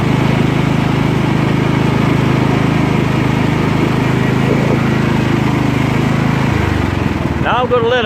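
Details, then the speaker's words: Scotts lawn tractor built by John Deere, 16 hp Kohler Command engine, hydrostatic drive, after repairs, idling briefly after a blades-engaged test drive so it won't backfire at shutdown; steady, even idle, no hunting or surging, performs like new. Normal idle. "for a short period of time so when I turn it off it doesn't backfire excellent work tractor performs just like new"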